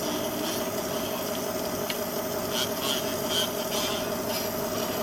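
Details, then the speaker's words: Supreme 78 RPM record player, amplifier completely dead with an excessively hot smell; only faint scratchy hiss and ticks vibrating through the needle are heard, no music output. "Nothing. It is like I remember it. It was completely dead."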